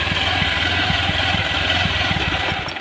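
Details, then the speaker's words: Carbureted Honda Vario 110 with Supra X 125 CDI fitted; idle rises and falls, because the Vario has two ignition pickups (low and high rpm) while the Supra CDI uses one; fluctuating idle from incompatible CDI unit. "Ya seperti stasionernya ini naik turun ya"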